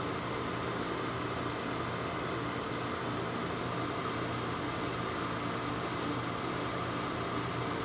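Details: Lasko 1500 W, 12.5 A plug-in electric fan heater with thermostat, pulling cold air in top and blowing hot air out bottom, on concrete block over gray rug; smooth constant airy rush, no ticking, rubbing or wobble: normal running.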